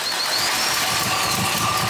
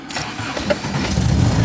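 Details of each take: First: 1970s barn-find MGB with higher-flow air filters, carb mixture screw turned 12 flats richer: loud, uneven engine note with ragged sputtering, stumbling and popping; cause not pinned down, later found spark plugs gapped wrong. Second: 1970s barn-find MGB after regapping wrongly gapped spark plugs and carb adjustment, cold start on choke in neutral: brief crank, catches almost at once, settles into steady rising idle; healthy start.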